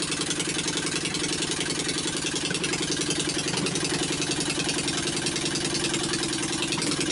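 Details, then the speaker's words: Old Onan 22hp opposed twin with points ignition retrofit, new battery, starting fluid, just started: uneven loping beat about 214 pulses a minute; rough running until carburetor adjusted and points dwell set. "you heard how it smoothed out better once I got the uh carburetor adjusted a little bit and then tuned in the points to get the dwell where it wanted to be"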